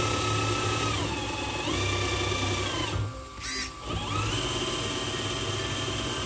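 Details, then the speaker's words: HB R1001 Ford Bronco RC crawler, after fix: shift servo linkage lengthened two turns. Smooth electric whine steps up and down with throttle, with no clicks or skipping. Gearbox running cleanly, problem solved. "oke teman-teman aman Alhamdulillah problem solve ya jadi pengaruhnya adalah di settingan eh panjangnya ini juga ngaruh"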